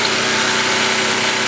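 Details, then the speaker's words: New portable camping generator on first run, outdoors in rain, with about 50% load plugged in: steady even drone under rain hiss, no hunting or knocks, producing power; normal running. "we should be able to tell by the about the change in the sound if it actually is producing power yes it is that should about been about a 50% lad"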